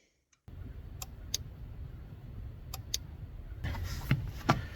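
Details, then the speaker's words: ASV PT-100 compact track loader seat safety relay, tested by lifting and sitting on seat: sharp paired clicks over low machine rumble as relay pulls in and drops out; relay working properly. "So what we're going to do is we're going to listen and see if we can hear the seat, which is this one, get up, and it'll make noise, click and unclick, and click and unclick."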